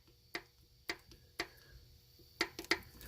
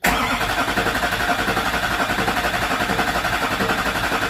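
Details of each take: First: Duramax LB7 diesel, 230,000 miles, upper valve cover off, engine stopped during injector replacement: sharp irregular metallic clicks as rockers are rocked by hand; rocker arms need valve lash adjustment. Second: Duramax LB7 diesel first cold start after installing new injectors, no boost pipe fitted, fuel primed by hand pump: short hard crank, catches and settles into steady even low idle with usual injector rattle; normal.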